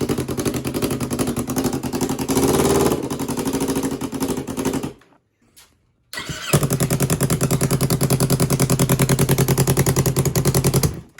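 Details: 2015 Yamaha R3 twin engine from a cut-up bike, revived after not running for over a year: it catches with an uneven thumping beat, stalls off the throttle, then restarts to a lumpy misfiring idle before warm-up; faulty ignition coils.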